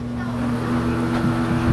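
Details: Vintage 1972 Rotron Caravel 8- or 9-inch muffin fan, 115 V AC, 53 W, heard from about 10 to 12 feet away: steady low hum under an even rush of air, no ticking, rubbing or wobble; runs smoothly.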